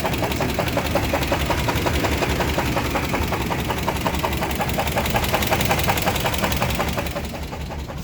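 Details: Small-block petrol V8 idling after cooling down, sharp steady metallic knock like a lifter; rod bearing 1 later found nearly gone and spinning, rod bearing 2 worn out — severe rod knock.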